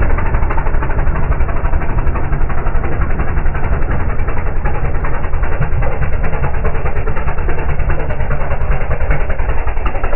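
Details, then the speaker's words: Air-cooled dune buggy engine after carburetor cleaning and tuning attempt, heard going by: low, choppy running with an uneven beat, barely if at all improved; still rough running. "we'll see if it sounds any better going by and not by much if any"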